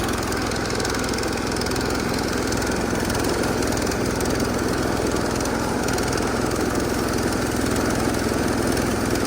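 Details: Massey Ferguson 16 garden tractor with old Kohler single-cylinder engine, revived after sitting since about 2013 and fitted with a replacement aftermarket ignition (33-393): steady, even putter with no knocks or stumbles; running healthy.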